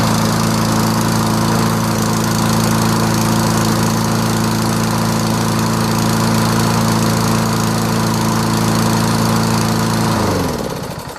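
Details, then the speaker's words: Toro SR4 mower with Loncin clone engine and auto choke, first cold start in the morning: steady, even hum with no misses, then winds down cleanly; runs normally. Hot starting previously difficult, cracked ignition coil suggested. "How about that? Go figure. Now it works."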